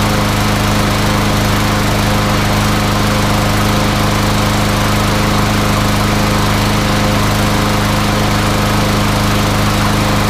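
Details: MTD Yard Machines front-wheel-drive mower with newer Briggs & Stratton single-cylinder engine, after no-start repair, blade sharpened and balanced: steady even drone at constant speed, no surging or misses; running clean.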